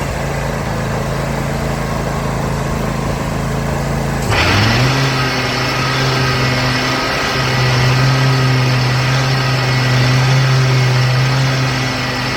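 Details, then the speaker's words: Troy-Bilt XP zero-turn mower after the loose deck belt problem was fixed: the engine idles, then the blades kick in with a rising whir that holds at full speed without bogging. The deck works normally. "so you should have been able to hear that the blades came on full speed as they were supposed to everything sounds great"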